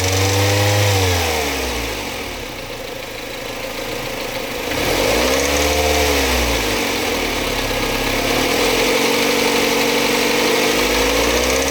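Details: Mazda MX5 Mk3 petrol engine revving up and down: dry metallic rattle beneath the engine note; cause unknown, owner seeking a diagnosis.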